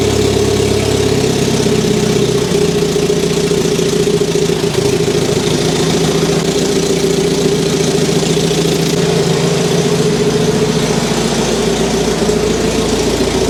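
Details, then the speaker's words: Barn-find Saab 99 after a leaking fuel union was tightened, on choke. A steady, even idle with a constant mid-pitched hum for over a minute, with no misses, surging or spluttering; good oil pressure, and the fuel problem is likely fixed. "That must have been running for more than a minute now. It's not looking bad. So, we may well have sorted that problem."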